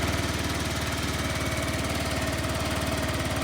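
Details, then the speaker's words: Sym Jet X 125 scooter that would not start because the helmet-compartment lock switch was set to lock; after switching to unlock it starts and idles with an even, quick putt-putt, no misses; normal idle. "So, you flick it over to unlock. It starts"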